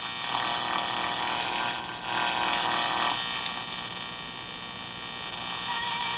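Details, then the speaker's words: Capehart T-54 antique radio during restoration, after replacing one silver mica capacitor: steady loud mains hum with hiss, unchanged while tuning, still crackly and weak reception; owner suspects remaining mica caps cause noise, hum may need alignment. "real loud hum in the middle here i imagine that'll need some kind of a lining when we're done here"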